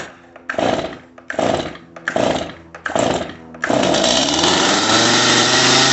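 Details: Stihl MS250 chainsaw, cold start on choke after a swap to an OEM carburetor: four or five pull-start bursts, then it catches and holds an even idle with only a slight swing before warm-up; running normally.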